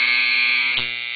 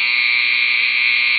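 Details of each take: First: Andis T-Outliner clipper with the arm set too close to the magnet: loud harsh buzzing chatter as the moving arm strikes the magnet; the fix is to loosen the nut and move the arm slightly away. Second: Andis T-Outliner clipper after magnet/arm gap adjustment, nut loosened, arm rocked slightly and retightened: strong, steady high-pitched buzz, perfectly even with no chattering or flutter, not too weak; normal clipper run.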